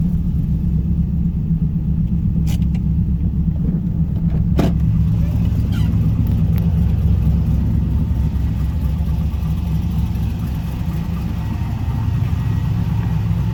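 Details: Chevrolet Camaro LS V8 on its first start after replacing a damaged cylinder 2 rocker arm that left metal in the oil: steady, even idle with a deep, smooth exhaust note and no valvetrain tick left; the engine sounds healthy.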